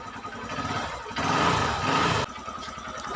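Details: Honda Mega Pro (Verza) single-cylinder motorcycle after restoring lost spark and checking the ECM: catches, a short louder burst, then a steady, even idle with no misses or knocks.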